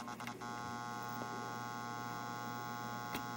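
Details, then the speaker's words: Atari Audio Regulator AR2 amplifier driving the original cabinet speaker, with the amp confirmed working on phone input: a steady low mains hum with a buzzy edge. The cause is unclear, and the speaker is to be swapped to test. "i change the input there so we know that's working but there is quite a bit of buzz which i'm curious about so i want to try a different speaker and see if the buzz is related to the speaker"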